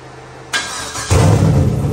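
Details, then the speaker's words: Turbo 4.8 V8 Blazer, Trick Flow 216/220 cam, Elgin 1838P, no exhaust or transmission, sat since March 2022, already warmed once: fires into loud, steady fast idle around 1000 rpm with deep burble; normal warm-up. "enlightle about a thousand RPMs until it warms up"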